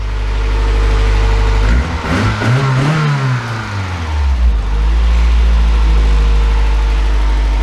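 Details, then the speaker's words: Toyota AE101 Levin after maintenance, plugs slightly fouled: steady idle then a clean rev rising and falling smoothly back to a settled idle, no knock or miss; running healthy, though owner thinks it needs more oil. "pretty happy with that sounds like it needs more oil though but other than that running"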